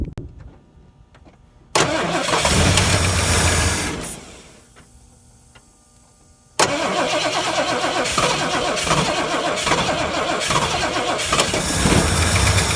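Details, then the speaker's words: 1970 or 1971 Ford Torino GT 429 V8 that sat about 15 years, fuel fed past the old tank through a filter to the pump: long starter grind, then it catches and runs unevenly. Stuck carburetor float suspected; hard starting and poor running. "Let's see. I think float's stuck. So I'm probably gonna dig and try and fix this float."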